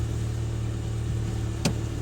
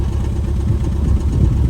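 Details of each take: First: 2013 Ford Fiesta 1.25 L after fixing a cylinder 3 misfire (code P0303) by replacing coil pack, spark plugs and leads, codes cleared: steady low idle hum with even firing and no stumble; runs smoothly. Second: 2013 Ford Fiesta 1.25 L petrol idling rough with engine management light on, some smoke and vibration; low uneven idle with irregular exhaust thumps; code P0303, cylinder 3 misfire, fixed by replacing plugs, coil pack and leads.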